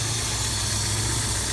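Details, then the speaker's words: 1989 Plymouth Acclaim 2.5 L four-cylinder with 3-speed automatic at idle, used-car check: steady, even, smooth and quiet idle with no knocks, ticks or belt squeal; normal healthy engine sound, though the AC belt is loose and old. "And this motor actually sounds pretty much exactly the way it should. No major, no knocks, no ticks, no belt squealing or anything else like that."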